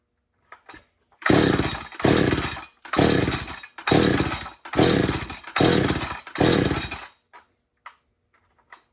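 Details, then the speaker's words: Chainsaw started up and revved in six crisp bursts about a second apart, each pulling up cleanly and dropping back; starts and runs fine, normal running. "But this one still starts. I'll start it up real quick."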